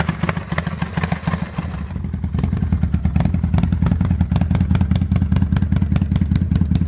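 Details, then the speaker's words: 2005 Kawasaki Vulcan 800 quick startup before sale: even, loping V-twin beat at idle picking up cleanly with a throttle blip, no knocks or rattles; normal idle and revs. "this is my 2005 Kawasaki Vulcan 800 and someone's actually coming to buy it today so before we sell it I wanted to bring it out here and give it a quick startup and let you guys hear it"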